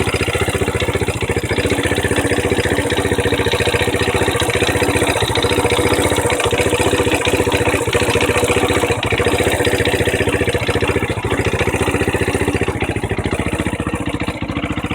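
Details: Honda NX 125, warm after a ride, idling at a steady beat with a dry, raspy scraping chatter on top; owner wonders whether the engine is poorly lubricated or normal; source not pinned down; scraping noise at idle.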